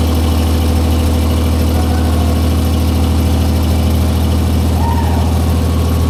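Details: 1944 Cleveland 3-268A three-cylinder two-stroke diesel, revived, first run after fuel-delivery fix, no coolant: deep steady even thump about three beats a second, no misses or knocks; all cylinders firing, clean normal idle.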